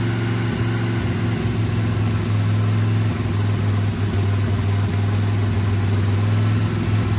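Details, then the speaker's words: 1980 International Scout II, engine previously seized with rust in cylinders, first runs after revival: low, rough idle that sags and stumbles, barely holding on; fuel-starved because the carburetor leaks fuel out as fast as it comes in. "It does rev up a little bit better, but we have to have fuel in here. You know, this carburetor lets it out as quickly as it comes in."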